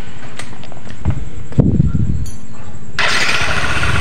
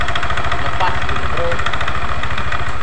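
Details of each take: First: Yamaha NMAX scooter run with V-belt, CVT fan and rear pulley removed to test the crankshaft: after handling clatter, catches and settles into a smooth, even idle with no knock; crankshaft fine, fault is only in the CVT. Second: Yamaha NMAX scooter at idle: light, uneven metallic clatter like a con-rod knock; crank counterweight bearing checked tight; clatter found to come from too-loose valve clearance, with a loose CVT V-belt from worn roller housing and roller fan causing the roughness.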